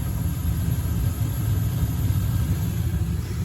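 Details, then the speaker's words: Slant Fin Galaxy gas-fired steam boiler, about 40 years old, after replacing the failed Honeywell intermittent pilot spark ignition module: ignition then a steady, even low roar of the main burner with no sputter or cycling; normal operation. "New spark ignition module. And we got ignition. And we got main burner."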